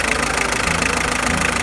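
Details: Hyundai HR diesel at idle after a short-term treatment on the squealing power steering belt: even, quick clatter with no squeal or whine, belt quiet for now (noise later returned, belt replaced): normal idle without belt squeal.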